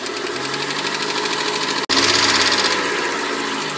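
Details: 1991 Mercedes-Benz 190E 2.0 at cold idle: quick, even clatter of about four ticks a second, heard only when cold; hydraulic lifters replaced, one found sticking, and the noise then disappeared completely.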